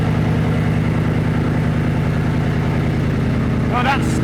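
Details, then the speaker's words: Porsche Cayenne Turbo first start after work, battery reconnected: steady even cranking for a long spell before catching; fuel rail had been off, so priming suspected. Extended cranking before first start. "And of course, because I had the fuel rail, the fuel rail was off. I imagine that's why it took a little bit of time to get going."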